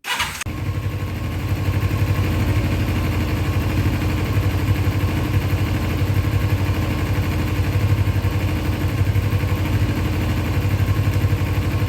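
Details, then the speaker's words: 2000 Kawasaki Ninja 250 after high-rev running: settles into a lumpy, uneven idle wavering about four pulses a second; still unhappy, carburettor rebuild kit needed. "All right, looks like we got it to an idle, somewhat. Still not happy. We got to get the carburetor kit and everything."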